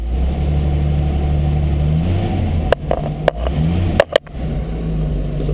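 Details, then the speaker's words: A 1940 Chrysler Windsor is started cold in neutral, just pulled from the garage, and runs at a steady, even low rumble with no knocks or misses, rising smoothly when the idle is raised. Normal idle. "turn the key on hit the button cars running super smooth"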